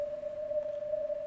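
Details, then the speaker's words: Ham radio receiver on CW: a steady pure tone at one pitch over faint hiss, resembling filter ripple; RF interference from a laptop power supply, gone once it is unplugged. "listen to that quiet as a mouse when they're not sending what did i do i'll show you i unplugged this laptop power supply they're notorious"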